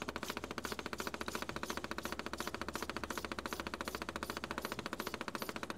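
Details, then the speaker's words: 1983 Mercedes 300D (617 engine) after dual-tank vegetable oil conversion, engine off, valve set to diesel: electric diesel pump clicks crisply and evenly about three times a second while priming before first start. "And now I'll turn the diesel pump on here. You can hear it clicking."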